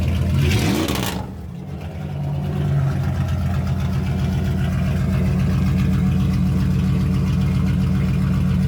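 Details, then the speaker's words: Dodge Ram 1500 just straight piped with muffler cut off: quick crank, catches in about a second, then deep, loud, even idle with no ticking or typical Dodge valve rattle; normal start and idle. "But guys, the engine, the sound, no noises. It doesn't have the typical Dodge valve rattles and stuff."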